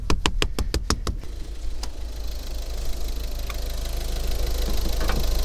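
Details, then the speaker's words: Used Ford Focus (third generation, 2011–2015 candidate) turbo engine at idle during pre-purchase inspection: a few sharp clicks, then a low, even, quiet rumble with no knock or miss; runs pleasantly, though inspector notes fourth injector burped, turbo starting to let oil. "Кстати, да, очень приятно работает."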